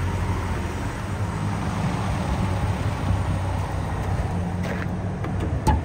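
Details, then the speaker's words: 2006 Chevy Trailblazer LS, six-cylinder automatic, odometer possibly about 292,248, backing up: even low engine rumble with no knocks or rattles; sounds healthy. "quick sounds good not hearing any weird rattles or anything like that on the interior"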